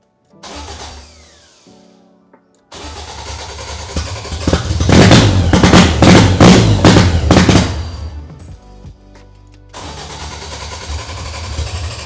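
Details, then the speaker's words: Toyota AE86 with 4A-GE 20-valve black top swap on Haltech, first start after fixing the crank sensor: runs loud and uneven, lumpy pulses never settling to a steady idle; no better, cause unclear. "No, it doesn't really seem like it works any better."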